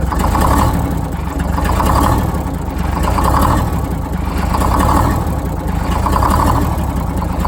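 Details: Detroit Diesel 6-71 two-stroke, first start after new 4-valve head and Davco 382 fuel filter install, valve cover off so not revved: steady idle with slow gentle rise and fall about every 1.5 seconds, settling even; idle set via buffer screw; normal idle.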